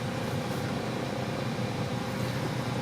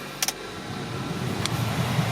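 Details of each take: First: 1999 Toyota Corolla heater blower on low speed. Rushing air over a low hum, with the motor vibrating. The noise grows louder after a few minutes of heater use and is inaudible on high. Worn blower motor, to be replaced. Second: 1999 Toyota Corolla heater/AC blower after replacement with an aftermarket motor, engine idling. Switch clicks, then a soft, even fan hum on high speed with no squeal or ticking. Normal blower running, the earlier noise is gone.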